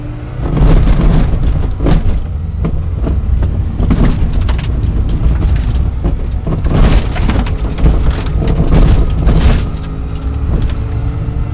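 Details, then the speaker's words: Lightly restored 1959 Mini, ticking over at a low, even idle beneath some cabin clatter and knocks; sounds healthy, fan adds its noise. "Now look at that, ticking over lovely. What a car. What a car. Makes the noise, that fan."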